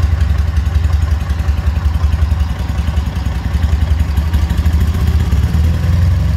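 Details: K-750 twin-cylinder motorcycle idling during carburettor synchronization: deep thump with some loose clatter and slight unevenness while the carburettors are being balanced.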